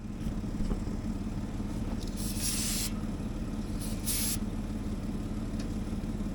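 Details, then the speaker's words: Caterpillar D7H Series 2 dozer in a cold −2° start after recharging the battery: deep, uneven chuffing at about three beats a second as fuel reaches the cylinders, trying to catch on starting fluid but not settling; hard cold start. "So, as you could hear there, we finally got fuel up into the cylinders. It's trying to start now. So, hopefully we can get this started with a little bit of starting fluid and see how it goes."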